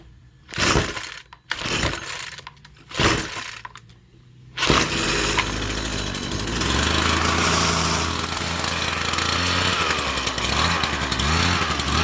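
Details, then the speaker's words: String trimmer that previously ran only when choked or primed, reassembled with its fuel lines, air filter and air box, then primed and choked. A few sputters, then a steady, even buzzing run with no stalling: normal running. "Alright, so it wasn't running this long before, so that's good."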